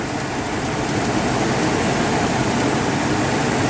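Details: V10 in a 2007 Four Winds Fun Mover Class C motorhome, oil changed yearly, never broken down: steady, even low rumble at idle without knocks, misses or surges; healthy.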